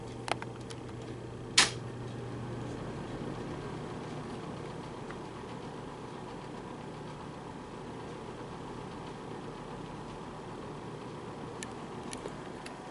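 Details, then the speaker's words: Wesston plastic box fan: low steady hum, blade turning lazily even on medium/high with no rattle; motor dragged down by super old stiff hardened grease, expected to speed up as the oil warms. "yeah that's just a classic example of super old stiff grease anyways we'll go to medium here pretty slow you can hear the motor trying to wear it up the life"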